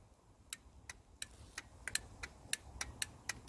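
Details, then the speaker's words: Land Rover Defender 90 300TDI glow plug relay, ignition on, tested because glow plug light wasn't coming on: crisp, sharp clicks about three or four a second; relay switching normally. "don't know if you guys can hear that but that is definitely clicking so i'm happy that the relay is working"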